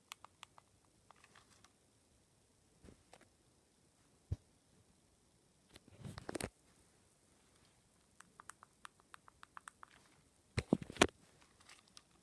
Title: Left joycon makes squeaky noise when pressed